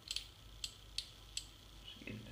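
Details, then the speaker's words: Yamaha ATV/side-by-side 4x4 system relay bench-tested with a battery, positive on terminal 1 and negative on terminal 2: crisp, dry clicks in quick succession as the relay pulls in and switches normally. "yep and my negative on number two you can hear it clicking"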